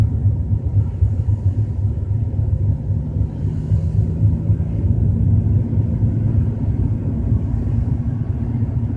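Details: BMW 320i driving at 30–40 km/h: deep lumpy low rumble rolling steadily with nothing sharp on top, source not yet found.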